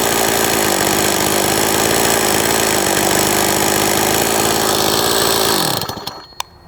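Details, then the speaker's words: Old STIHL 026 chainsaw, sat about 10 years, hot after cutting wood: rough uneven buzz with ragged beat under load, then dies; worse when hot, poor compression, leaks oil; scored cylinder and worn piston suspected. "And it does sound even worse after it's ran and it's hot like this. I'll just show you that. Hopefully you can hear all the noises here. That's not normal. And the compression's not that great."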